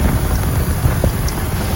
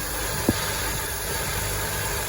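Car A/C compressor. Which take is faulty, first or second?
first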